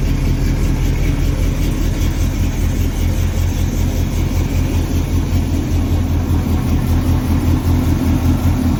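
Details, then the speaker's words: Chevrolet squarebody pickup, fuel-injected big block V8 with big cam: deep lumpy idle loping about 150 times a minute, firing even with no knocks; healthy normal idle. "She sounds good, she runs good. Fire it up here real quick so you guys can at least hear it sounding off."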